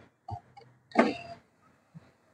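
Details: Kia Sonet after refastening a loose aftermarket wiring box that had fallen and rattled while driving: brief low motor hum and soft clunk as the power window glass travels smoothly; normal power window operation.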